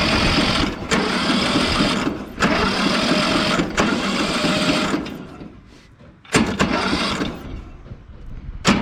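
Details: Briggs and Stratton 12.5 ride-on mower engine with carburettor cleaned and a new spark plug, cranked by jumping the bad solenoid: repeated one-to-two-second starter bursts that never catch; cranks but won't start, and the owner suspects a bad ignition coil.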